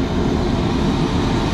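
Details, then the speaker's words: Baldor motor on a kitchen exhaust fan, run after new bearings were fitted and the pulleys aligned: steady, even hum with a low rumble and no knocking, grinding or squeal. Runs normal and healthy. "sounds pretty good check the uh belt tension already got the pulleys lined up how they should be everything's mounted electrical's wired up"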